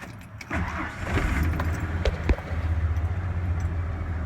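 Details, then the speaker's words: 1993 Ford F-150 4.9 straight-six after MAP sensor replacement, which cured rough idle, bogging and hesitation: short crank, quick start, settles into a steady even low idle, responsive to a little throttle with RPM holding; normal start and idle. "and just like that quick start has RPM's good I'll go ahead and give it just a little bit of gas respond responsive stays at the same RPMs"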